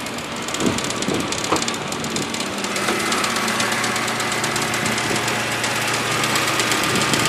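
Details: BMW E92 328i N52 idling with a fast uneven marbles-in-a-can rattle after dealer VANOS solenoid replacement; a connector in front of the radiator fan had come loose from its holder and was hitting the fan, reproducible by turning on the AC.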